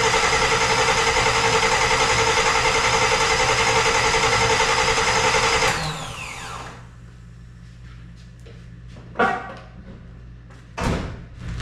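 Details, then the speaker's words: Engine cranked over without fuel to build oil pressure before its first start, after the power steering line was made up and fluids filled. About six seconds of steady, even cranking whir. Everything sounds right: normal cranking. "everything sounds right everything sounds good"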